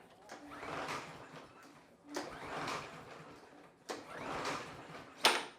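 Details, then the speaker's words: Snapper walk-behind mower, Briggs & Stratton vertical 550EX 140 cc, no choke or throttle, spark plug wire reconnected: three slow rope pulls, engine turns over with some compression but never fires; no-start, spark and carburetor to be checked. "Well, we got the same result after plugging the spark plug wire back in. So, I think first thing we need to do is uh check and make sure we have spark."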